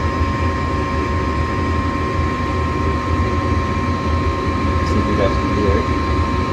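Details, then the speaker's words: Furnace on call for heat after igniter check: igniter glows, gas valve clicks open, burners light; steady even roar of burners and blower under a constant hum, no clicks or rumble, running normally. "then we're going to hit another click turning the gas on pretty soon there you go there's that click open the gas out and we got fire and the rest just blow the air there"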